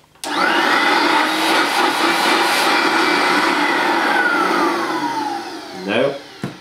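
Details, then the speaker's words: Vintage new-in-box 1984-era Hoover S1122 Dustette, 150 W dirty-fan handheld vacuum, first switch-on: spins quickly to steady clean high whine with even airflow, no rattles, winds down cleanly; new-motor smell, works as it should. "that sounds as it should I've got the whiff of a new electric motor"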